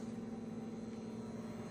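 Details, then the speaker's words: Microwave after replacing a damaged 20 A fuse and the door switch, which had been blowing the fuse when the door closed, on a test run: a quiet, constant mid-pitched hum with no buzzing, crackling or arcing, running normally. "Machine working and up."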